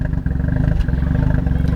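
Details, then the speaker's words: 1992 Mazda RX-7 twin turbo FD3S rotary, Japanese import, idling very low on possibly old fuel: steady pulses then RPM fluctuates, dips and coughs; stale fuel suspected, not confirmed. "You can hear the RPM just started fluctuating and coughing."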